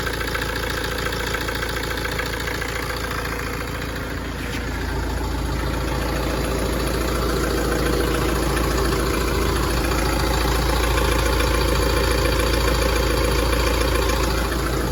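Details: Tata Safari diesel at idle, owner also reports engine vibration and heating: even clicking tapping in time with the engine, about three or four per second; source unclear.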